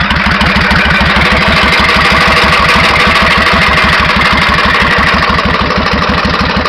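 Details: 1991 Suzuki VS1400 Intruder, unknown true mileage: sharp hammer-like metallic tapping about three times a second over the idle, louder on one side, quickening as revs rise; unexplained engine knock, cause unknown.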